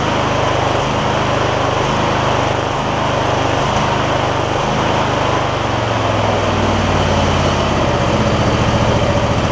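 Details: MTD Lawn Chief garden tractor V-twin after clearing debris the owner believes got into the intake despite a tight air filter: a few brief early stumbles, then a steady, even drone without surging; normal running.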